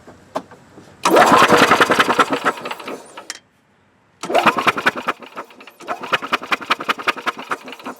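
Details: 2003 Yamaha G22 gasoline golf cart cranks with steady chugging rhythm but won't fire; spark confirmed present at plug, fuel pump found bad; crank no start.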